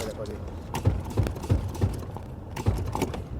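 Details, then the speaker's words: Ford Endeavour at 116,238 km, with the microphone lowered under the car on a drive: dull, uneven thuds about three per second from underneath; mechanic suspects loose suspension and broken bushes, unconfirmed. "ढक ढक ढक मतलब suspension का इसका ताना वाना सारा हिला है। बुशबास टूटे होंगे।"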